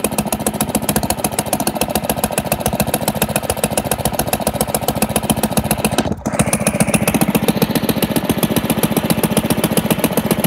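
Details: 1947 Pond lever-steer tractor engine running smoothly after clearing a mouse nest caught on the outer flywheel/pressure plate, the suspected cause of a severe vibration present in any gear or neutral; even, crisp firing beats, no shake or knock.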